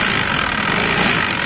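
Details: Honda Activa scooter, loud noise from the kick-start side when running: fast metallic rattle over engine note from a worn kick-start ratchet.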